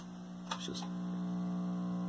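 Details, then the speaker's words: 1973 Admiral SK2247 12-inch hybrid colour TV on isolated supply; steady low hum loud and unchanging through the speaker; suspected open power-supply filter, unconfirmed. "the hum is still pretty loud you can hear it through the speaker"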